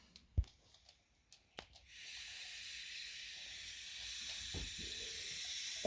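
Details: Aluminium radiator on central heating being bled after refilling and removing coal fire back boiler: a few light clicks, then steady sharp hiss from two seconds on as trapped air escapes the bleed valve.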